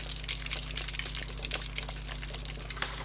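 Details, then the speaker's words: Uni-T UT30B multimeter shaken by hand: fast, irregular crinkly clicking from loose parts rattling inside the case, presumed broken inside; it also had a problem measuring current. "don't know if you can hear that, but there's something rattling inside it. And I assume it's broken in some way."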